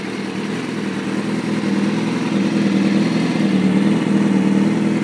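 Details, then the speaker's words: 2005 Kawasaki ZX-6R 636cc, 7,219 miles, Muzzy full exhaust, Power Commander, nearly warmed up after cold start: even settled idle, smooth low drone with slight rise, no ticking or misses; running really smooth, no issues. "sounds like it just about warmed up see it's running really smooth no issues no issues whatsoever with this bike"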